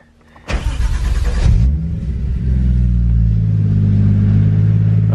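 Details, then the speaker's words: Nissan R34 Skyline, engine fires with a flare then holds a smooth but fast idle around 1300–1400 rpm; idle set too high, being lowered with the idle adjusting screw (still about 1100–1200 afterwards). "all I'm gonna do is finished adjusting just cuz it was idling a little bit high was like around 13 1400 just adjust the idle screw here"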